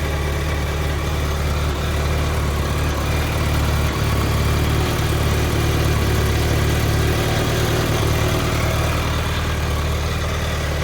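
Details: Late 2004 BMW K1200GT motorcycle idling with deep throb and an odd, faintly irregular mechanical rattle on top; cause unidentified.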